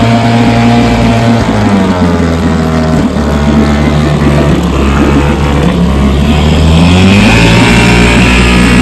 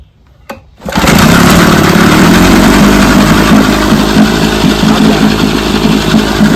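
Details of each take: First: Vintage 3 hp two-stroke outboard runs with an uneven, stumbling beat as one side's spark cuts in and out; intermittent misfire, owner suspects dirty ignition points with factory film and plans to take it apart and clean them. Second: JB's $5 vintage outboard, after three days of carb, spark and gear case work, started in neutral with a little throttle and a half pull: catches at once and settles into a quick, steady two-stroke putter; normal start.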